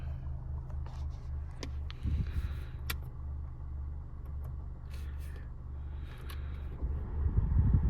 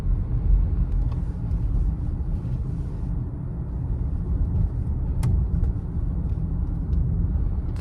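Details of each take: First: 2015 Honda CR-V, 112,000 miles, short test drive: dull low thumps and knocks through steady road rumble; front sway bar end link loose and bushings worn, both being replaced. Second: 2015 Honda CR-V, 112,000 miles, test drive after replacing front brake pads, rotors, sway bar end links and bushings: steady low road rumble, no clunks or rattles; fixed.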